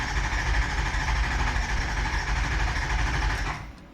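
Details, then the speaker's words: 2004 Ford 6.0 Powerstroke diesel no-start with aftermarket high-pressure oil pump: steady starter churning with rough uneven beat, never fires; zero injection control pressure, pump failure suspected, IPR valve not yet ruled out. "I mean, we can do an air test, but 0 pounds? 0? Like 0. None. Really? None. Yeah, none."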